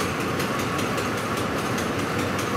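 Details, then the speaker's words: 2004 Ford F-150 5.4L that stalls when hot, pump and rail pressure sensor already replaced: rail pressure at 109, ragged hunting idle with stumbles near stalling; fuel starvation and lean, pump driver module not grounding the pump. "fuel rail pressure is at 109 and it's dying right now barely running so there's our fuel rail pressure sensor fault"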